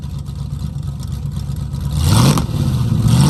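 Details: 1969 Mustang V8 that sat 15 years, running rough: uneven idle lope, then two blips with pitch climbing; beat stays ragged. Distributor vacuum advance just reconnected, mufflers rusted with holes (loud), running rich, needs to get hot; owner suspects plugs and wires.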